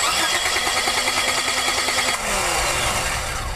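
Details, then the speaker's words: Pontiac Firefly cranking steadily at about three turns a second but never firing. A spark tester at the plug shows no spark, simulated by an unplugged coil; coil-to-distributor power is checked next. "we had no spark here so now I'm going to check the power going to the distributor from the coil to see if that's where our problem is"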